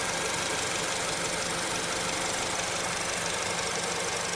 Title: another day... another diagnosing... 2008 acura rdx check engine and misfiring...